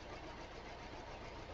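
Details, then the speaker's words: 2013 Hyundai Elantra 4-cylinder (coil-on-plug) with a flashing check engine light: rough, uneven misfiring idle with irregular low thumps like a stumbling lawnmower, engine visibly vibrating. "Okay, I don't know how well you can hear it, but this thing sounds like a lawnmower that's having a bad day. And if I get this thing open, and it's definitely misfiring."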